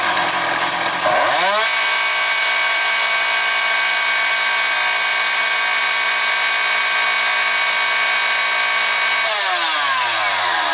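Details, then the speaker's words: Husqvarna 365 two-stroke chainsaw with Walbro carburetor: climbs quickly to a high, even full-throttle scream, revs neither rising, falling nor hunting, then drops back to idle; healthy. "Ну, я вам скажу так, чітко працює на повному газу, тобто йде лінійочка. Оберти ні не зростають в процесі, ні не падають, ні підгулюють."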